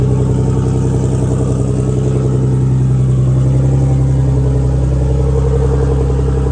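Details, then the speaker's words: Big-turbo BMW E46 on a new tune, open downpipe with no exhaust, close to operating temperature; deep, steady idle with an even beat and no hunting or misses, idling smoothly once warm. "All right. So, it's close enough to temp. It idles really good. I'm kind of surprised."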